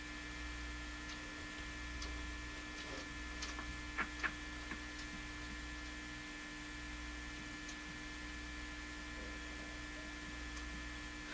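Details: National HRO Sixty communications receiver with unexplained extremely low output, during signal tracing with gain cranked up: only a steady low mains hum with faint crackles and no tone or station passing through.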